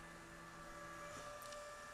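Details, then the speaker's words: Replacement cooling fan for a Magnavox ZV427/ZV457 DVD/VCR combo, tested on the bench; steady thin whine over airflow hiss, too loud to use in place of the original sleeve-bearing fan. "so I'm sure you can hear that whining it it's just wow really"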